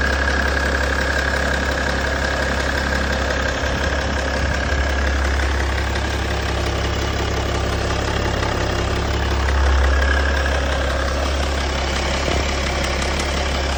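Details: BMW M57 diesel at idle with a constant hard rattling clatter riding over a steady idle, no change in pace; owner asks whether it is a timing chain issue, source unconfirmed.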